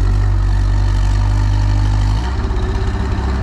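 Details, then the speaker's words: Boom lift engine with rebuilt, ultrasonically cleaned carburetor, run from the platform: high idle with the pedal down drops into an uneven, pulsing, choppy chug with smoke when the foot is lifted, then dies; rough idle, owner suspects idle set too low or governor, lean low-speed mixture. "see it's really choppy it's smoking so now if I let my foot up"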